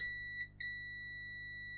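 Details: Bush DAB radio that won't power on: a multimeter continuity test on the power button gives a clean, steady beep while pressed on this button, which works, while another button fails to give a continuous beep and is the fault.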